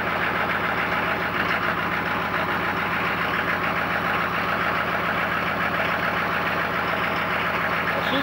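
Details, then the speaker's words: 1995 GMC 6.5L turbo diesel cold start after sitting a while, with a used PMD newly installed: after waiting on the glow plugs it fires up, steady diesel clatter, a couple of cylinders briefly cold, then settles into an even, regular idle; normal. "oh yeah you fired up oh yeah look at this look at that chooch on that one yeah a couple cylinders there a little cold steel"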